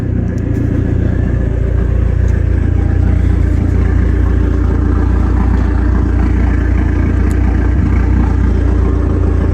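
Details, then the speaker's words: Dodge SRT4 turbo four at 107,379 miles, many new parts: loud deep exhaust rumble at steady, even idle, turbo faintly audible, no knocks or misses; sounds good, normal idle. "You can always just faintly hear the turbo, but it sounds good. It is pretty loud, as you would expect."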